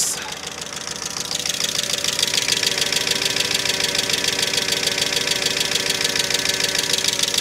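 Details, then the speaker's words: 2005 Mercedes ML350 (W163), bought with no oil, now refilled, cold snowy day: sharp, fast, even ticking over idle, steady with no rev change; owner hopes the click clears with an Italian tune-up, cause unclear. "I think it sounds better I don't like that I'm hoping that click clears up"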